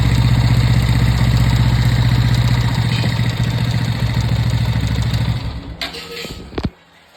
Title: TVS Apache 200 bs6. Engine noise problem